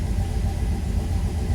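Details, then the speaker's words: Turbo Dodge Dakota, first start on new Holley EFI ECU; steady deep fast idle that holds without dipping. 45 psi fuel pressure, 60 psi oil pressure, 14.6–14.7 V charging; idle air motor open about 70%, too high. "we got 45 pounds of fuel pressure the idle air motor is open"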